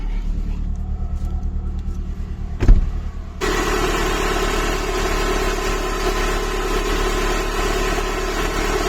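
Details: Chrysler PT Cruiser cabriolet with misfires, almost running on three cylinders, after engine light cleared, cold with choke: quiet, then a clunk and a steady, even idle with no stumbling; runs better now.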